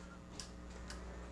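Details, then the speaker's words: Creality Ender 5 Plus 3D printer at first power-on after assembly: three crisp light clicks about half a second apart over faint hum as the BLTouch bed probe deploys and retracts; normal probe self-test. "hear the BL Touch moving."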